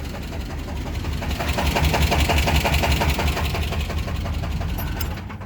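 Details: Small block V8 idling after cooling down, steady light rhythmic knock almost like a lifter; later found rod bearing 1 nearly gone and spinning, rod bearing 2 worn.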